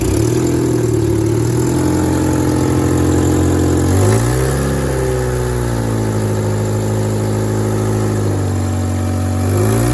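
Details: Engine idles then revs, fast puffing tick on the exhaust note growing with throttle, quieter at idle and worse in gear accelerating; exhaust manifold gasket leak.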